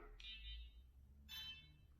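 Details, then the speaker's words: ShiFT Red drone sitting indoors, not flying: three short high-pitched electronic beeps in quick succession; owner thinks it is the low battery warning. "Low battery. That's it. So I think that beeping sound is telling you it's low battery."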